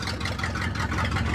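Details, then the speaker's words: Ford F600 truck first running after sitting 20 years, fuel tank cleaned, new fuel lines, water leaks fixed; big petrol engine idling on its own with low even burble, no stumbling; normal idle, accelerator pump not yet working. "Listen, it is running on its own. Oh, I bet you if I let it sit there and run for a while, that accelerator pump might start working too."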